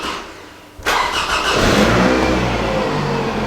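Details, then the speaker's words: Scion tC after alternator repair, battery at 11.87 V before the start: it catches within a second, flares, then holds a steady even idle with no knocks or squeals. Normal start; battery light off and charging at 13.7 V. "all right so i can tell you i already like the sign i'm seeing the battery light is out which is good"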